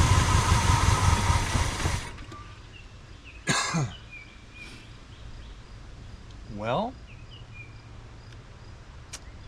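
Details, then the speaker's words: 1985 Pontiac Trans Am, 34,000 miles, sitting since 1998. Rough engine runs about two seconds on poured-in fuel, then dies to silence, not pulling fuel. Owner suspects a stuck carburetor float and may have to take the carburetor apart. "not pulling fuel. I think I can. I think I can. Looks like we may have to take the carburetor apart, folks."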